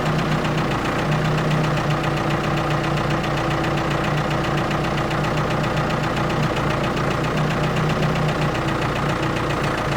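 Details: Ford 655A backhoe diesel running at constant speed under hydraulic load, dense steady clatter with no surges or heavy knocks; engine sounds good, blow-by very minimal, normal running.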